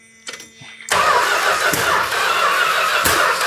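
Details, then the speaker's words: 1971 Chrysler New Yorker 440, parked 20+ years, first start attempt; catches and roars unevenly with sharp pops, spitting back through carb at the metering rods, seemingly no spark; owner suspects stuck valves. "It's spitting a little bit out of the primary, looks like. It's blowing. What that is is uh valves stuck. It'll probably pump up lifters and solve itself."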